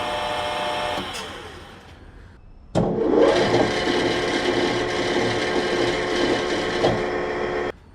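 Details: Grizzly G4003 lathe, not yet fixed: the motor spins up with a whir and a rough growl, then a sharp intermittent bang under load as the belt tension changes. The owner suspects a bearing in the motor; the final cause was not the bearings or gears.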